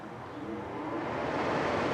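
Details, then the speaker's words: Old air conditioner run in a garage on fan only: smooth, even rush of air building up with no rattle or scrape; the fan works normally. "oh yeah the fan definitely works interesting this one doesn't feel as cold as the other one did even with just the fan"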